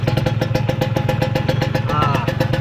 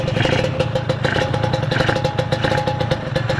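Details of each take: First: Kawasaki Ninja 150 two-stroke idling rough with sharp raspy puffing pulses about eight a second, confirming the suspected exhaust leak noise. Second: Kawasaki Ninja 150 two-stroke at idle, oil pump hose had leaked and premix now used; steady, even buzz with regular, lightly rattly beat, no knocking or misses; engine idles healthy.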